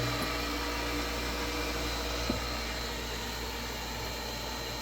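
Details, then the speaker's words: New 1.5 hp Chinese Amazon replacement motor on Hayward pool pump: steady, even hum and constant whir, no knocks, rattles or grinding; fairly quiet, plenty of power, running normally; small leak noted. "Sounds pretty good. Fairly quiet. Seems like it's got plenty of power."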